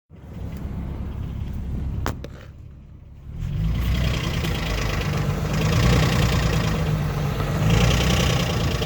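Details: 2007 Infiniti G35S VQ35HR petrol V6 idles with a light, fairly regular knock early on that then fades; intermittent, sometimes cleared by restarting.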